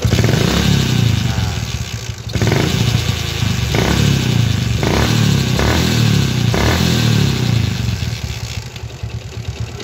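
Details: Yamaha Jupiter MX motorcycle revving with a rough, uneven clatter from the gearbox that persists as throttle opens; engine split showed a broken gear selector pin in the transmission.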